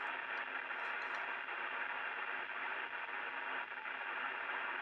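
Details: Two-metre band (144.000–145.990 MHz) reception on an open repeater channel: constant rough hiss with faint rasping texture throughout, interference (QRM) swamping the receiver.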